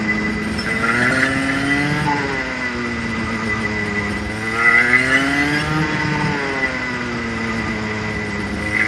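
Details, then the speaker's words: Clutched go-kart engine on-track run-in, revs varied 6,000 to 10,000 RPM, light brake taps to slow: long smooth sweeps high and low, clean and even; healthy run-in. "So accelerate up off the corner, a couple of light taps of the brake to slow the kart down to 6,000 RPM again, and then accelerate back up to 10,000 and then just back off again, and you'll probably be at the next corner, at our track anyway."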